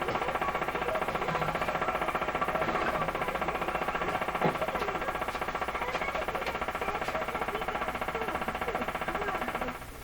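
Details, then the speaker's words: 1940s RCA Victor A38 shortwave tube radio after reassembly, near 640: steady putt-putt pulsing about 2.5 times a second under the hiss, periodic interference from an unknown source in the house, with the antenna being aimed. "The putt-putt is some kind of interference. I have no idea where that comes from in my house here."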